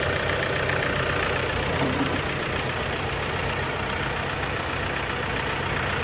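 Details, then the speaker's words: Toyota Hilux diesel 4x4 manual, first start after overhaul following oil-light warning and engine dying: steady diesel clatter at an even idle, no loud knocks or misfires; normal idle. "Jadi hari ini sudah bisa hidup. Kita pantau dulu karena ini baru pertama kali kita hidupkan."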